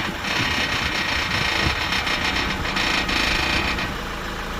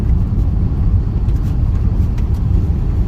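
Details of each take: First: Honda Accord (CU) front suspension, engine idling, steering turned while stationary: short high creaks, owner suspects a worn lower ball joint (would be third replaced on this side); lower strut bushes also not yet replaced. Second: Honda Accord CU3 test drive over bumps and fast corners after new front tires, checking suspected lower ball joint creak: only steady road rumble and stone ticks, no creaks or clunks; normal suspension.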